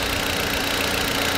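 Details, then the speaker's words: 2004 VW Beetle 1.8 turbo after repairing a vacuum leak that caused rough idle and hard brake pedal; even, steady idle with no stumble, hunting, hiss or misses; engine running smoothly, brakes restored. "wow all right as you guys can see um the rough idle's gone the vacuum looks gone"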